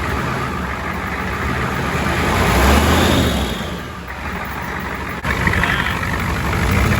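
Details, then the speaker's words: Ford 7.3 diesel first start with a first-generation Banks turbo kit and homemade intake hat, injection pump and oil line reconnected: deep, even clatter at idle with steady low rumble and slight swells; runs smoothly, no oil leaks seen. "yeah i'm pretty happy with that sounds good i don't see any oil leaking"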